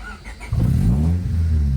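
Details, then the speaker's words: Honda Civic VTi D16Z6 fresh build, ported Skunk2 Pro intake, Crower stage 3 cam, warmed up: quick crank catches within half a second, settling into a lumpy but even idle; normal startup and idle. "so now let's try it again and here we've started it so now you can see it's all warmed up started"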